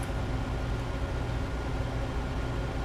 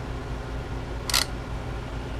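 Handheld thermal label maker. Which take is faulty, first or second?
second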